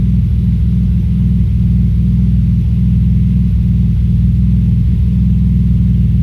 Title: Audi S4 B5 Misfire cold start